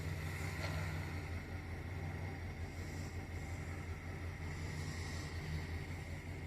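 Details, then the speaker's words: 2008 GM Sierra/Silverado after knock sensor (P0332) and evap vent valve (P0449) repair, first run with no engine light: steady even low V8 idle with faint constant whine, no misses or knocks; normal idle. "Oh, look at that. It's the first time I've had this truck running with no engine light."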